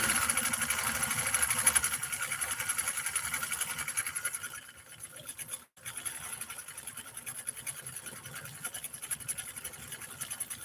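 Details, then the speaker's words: Husqvarna Nordic Automatic vintage sewing machine stitching pattern 3 on Cam D: light, quick, even ticking with a steady rhythm and no clatter or binding; normal smooth running. "Listen to this incredible Swedish Beauty run."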